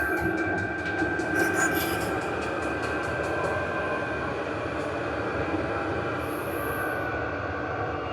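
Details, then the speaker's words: Vevor 8 kW 12 V diesel parking heater after switch-off with the on/off button. A steady, even airy whoosh as the blower keeps running through the normal cool-down program so the inside doesn't overheat. "so the cooling down program is running a little bit longer the blower keeps on uh keeps running so the cooling down progress means that the blower keeps running otherwise it's getting too hot inside first has to cool down"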